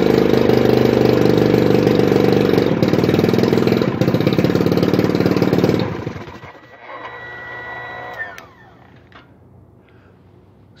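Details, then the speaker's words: 1981 Evinrude 35 HP two-stroke outboard, gearcase off, started with weak starter by pulling number two spark plug: uneven, lumpy burble at about three beats a second for six seconds, then stops; running on one cylinder. Compression 150 psi both cylinders. "wherever want to start a motor it's got a weak starter just pop one of the spark plugs out running on one cylinder"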